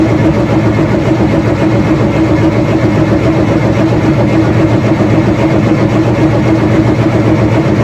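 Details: Freshly rebuilt Nissan Micra stock car engine cranked with fresh oil before plugging in, to build oil pressure: loud steady churning crank that never catches; healthy cranking.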